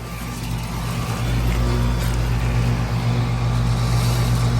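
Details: 2004 Lennox Elite series 2.5-ton air conditioner with Copeland scroll compressor, second startup of the year: low steady hum building over the first second then holding even, no rattles or grinding; normal running.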